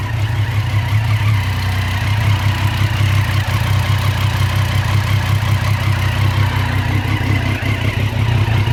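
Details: 2014 Triumph Street Triple R motorcycle idling with a lumpy, uneven beat, about three pulses a second that wander in strength. Rough idle, cause unknown.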